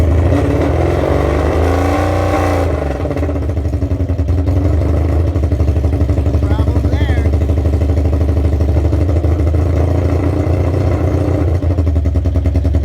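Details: 1982 Honda Magna V45 VF750C after oil change (Shell Rotella T4 15W40), loose choke zip-tied: deep, steady V4 burble, even beat, no stumbles or knocks; healthy cold idle warming up evenly.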